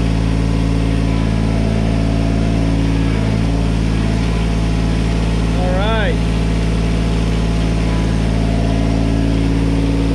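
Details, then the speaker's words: 1986 John Deere 330 mower after replacing oil pressure switch, changing hydraulic and air filters, adjusting throttle linkage: steady even diesel clatter, no misses; low oil pressure light no longer on, hydraulics working. "she's running good if you notice the the uh low oil pressure lights no longer turning on so that's fixed"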